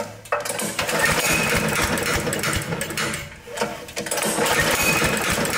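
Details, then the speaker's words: Briggs mower engine less than two years old being pulled over: rapid clicking at about four per second and no start. The cam's compression release is stuck and bumping the valve constantly, so the camshaft is bad. "What it is it's sticking. The compression release on the cam. Usually these compression releases are breaking. This one's stuck to where it's bumping the valve all the time. and it won't let it start."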